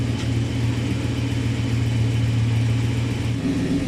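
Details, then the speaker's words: 1966 Plymouth Sport Fury V8 on first start after rebuild, cold, fresh Lucas hot rod oil, reused original camshaft: deep even burble at steady idle, no ticking, knocking or misfire; normal idle. "That looks pretty nice to me."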